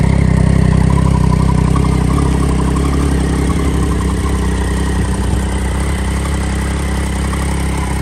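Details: Triumph Daytona 675 rebuilt from an insurance write-off crash, run up after fuel added and a hanging part cable-tied back: steady, even low idle rumble, no knocks or misses; healthy, settled idle.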